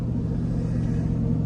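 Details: 5.3 L V8 with AFM/DFM disabler just plugged in while driving, back in V8 mode: steady, deep, even rumble under light driving, no misfire; normal V8 running on all eight cylinders.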